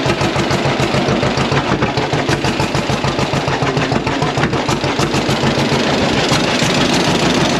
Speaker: we got our valve adjustment made and started the tractor up, and you got to hear it run there. Sounded really good after making this valve clearance adjustment and or tappet adjustment, however you want to say it.